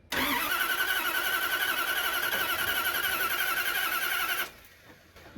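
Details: Healthy new starter cranks the unprimed carburetted engine briskly and evenly, nearly four turns a second, for four seconds with no firing; no ignition spark, owner suspects a disconnected or miswired wire under the hood.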